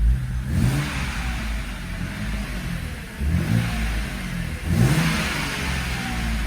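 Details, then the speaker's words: 2007 BMW E86 Z4 3.0si Coupé first start after installing a Scorpion Red Power exhaust: deep, smooth note climbing cleanly on two throttle blips with no rasp or ticking, much quieter than before; healthy. "what's the quietest this exhaust has been for quite some time [Music] i can actually hear the engine again over the exhaust which is nice"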